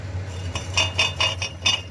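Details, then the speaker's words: Lifan X60 exhaust with catalysts previously knocked out by the owner, tapped underneath: bright tinny clink-and-rattle of a loose leftover ceramic catalyst chunk inside the pipe, appearing once warm; fixed by removing the pipe section and shaking it out. "я на стенках наверное все таки осталось какие-то керамика осталось и вот временем я же сам выбивал катализаторы и со временем видимо этот кусок отвалился и вот теперь"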